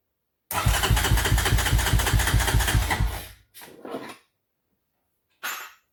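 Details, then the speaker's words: 1993 Honda TRX 300EX with a size-40 idle jet replacing the original 38 and the air box removed: single cylinder fires at about two and a half beats a second, uneven and stumbling, then dies; idle raised but still not right. "bumped up the idle more than I should have to something still not right so I'm gonna pause for right now reevaluate and come back at it"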